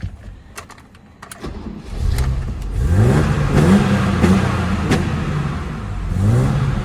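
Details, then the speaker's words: Barn-find BMW 635CSi that previously cut out with no throttle response: the engine catches and revs freely several times, pitch climbing cleanly; it still idles a bit rough. "doesn't idle good but it works now kind of least it revs now"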